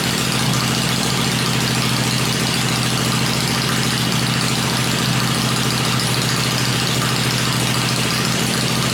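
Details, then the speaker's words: Freshly built 96-inch V-twin with Edelbrock heads on an engine run stand, cycled through revs before going in the bike; stand shakes at lower revs; deep, steady, even beat at low revs, no ticking or knocking; normal running. "Let's uh cycle through a few times it's hard on the machine here everything starts shaking when you get it down to below which is a pretty meaty motor"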